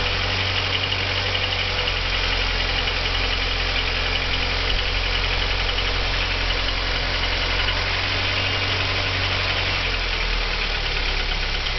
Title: Стук двигателя Audi 80 B3 JN 1.8 1987